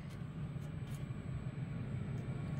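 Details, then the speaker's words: Trane XC95m gas furnace after fixing a PS2 pressure-switch error: blower motor starting with soft steady hum and faint high whine, inducer noise gone, no knocking, heat from exhaust – normal furnace operation. "as you can here there's the blower motor actually initiating and we just don't hear that inducer anymore so that's beautiful"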